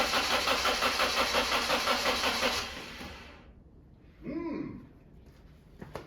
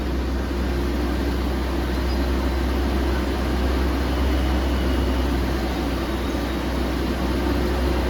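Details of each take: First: BMW E36 on its first start in 6 months after restoration: steady, even cranking near three turns a second for over two seconds, never fires. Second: Restored BMW E36 right after starting on a new battery: smooth, even low engine hum with a steady rhythm and no knocks or misses. The fan ran immediately; owner suspects the viscous coupling.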